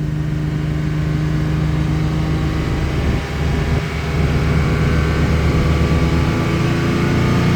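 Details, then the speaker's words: 1987 Jaguar XJ-S 3.6 manual with a misfiring problem, after a 1-hour test drive: steady, even drone held at 3000 rpm with no stumbles; it struggles when revving from 1k to 2k and still misfires occasionally above 2k. Smooth running at 3000 rpm. "So no real problems between 2 and 3 and above."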